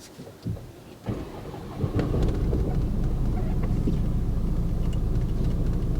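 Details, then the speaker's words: Salvage Mercedes A200d Premium diesel, 83,000 km, engine fault, no drive; starts after a second into a heavy, uneven low rumble at idle, bonnet visibly wobbling; owner suspects a worn dual mass flywheel, not confirmed. "so yeah that vibration is still there you can see the Bonnet wobbling well sounds like drawer mass is knackered to me proper"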